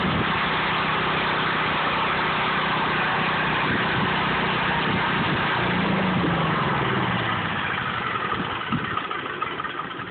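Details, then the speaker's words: Residential standby generator setup with a transfer switch and a load bank set to a 10,000-watt load; the generator works harder to supply it. It has a steady, even engine drone with no knocks or misses: normal running. "I set a 10,000 watt load to the system, you'll hear the generator start working harder to supply power to the system."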